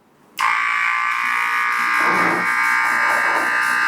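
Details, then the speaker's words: Battery-powered small diaphragm motor/pump on a DIY mist-nozzle cooling system, started after connecting the nozzles: a sudden start into a steady buzzing drone with an even pitch. Running normally. "Connected है, सारी motor चल रही है, ready है। अब सिर्फ हमने इसको सिर्फ चलाना है।"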